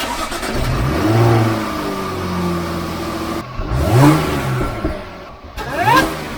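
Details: Supercharged Jaguar F-Type after fitting a RAM Air open cone induction kit, stationary revving: revs rise and fall with a clear supercharger whine climbing alongside; loud and healthy.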